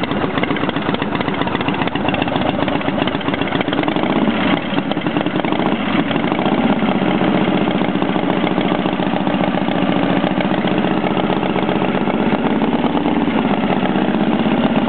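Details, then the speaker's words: Motorcycle started after a rebuild, choke used on a sunny Arizona morning, still slightly cold: steady, even idle with a consistent low beat, no misses, knocks or rattles, and no oil leaks; runs well. "well there you go running good couldn't be app here"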